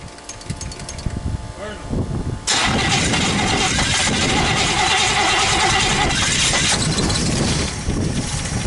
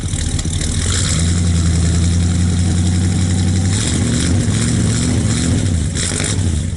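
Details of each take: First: 1964 Buick Skylark V8 after sitting neglected about 6 months, with electric fuel pump on: it starts after a few pedal pumps and a few seconds of cranking, then settles to a steady idle to warm up. Normal start. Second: 1964 Buick Skylark V8 after sitting about 6 months, started cold in colder weather with electric fuel pump: deep, slightly uneven loping burble at cold idle, running a little rich while warming up.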